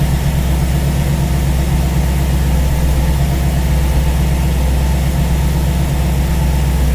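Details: V8 idling after first start on a newly installed Ace's Killshot EFI throttle body with Blackjack distributor, while base timing is set to 15°; steady low rumble with a smooth lope and no knocks or misses, healthy.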